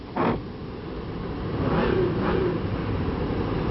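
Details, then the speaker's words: 2004 Chevrolet Venture LT van with an automatic transmission and 136,333 km: after starting, it runs steady and smooth with no knocks or misfires; normal idle. "runs great not bad"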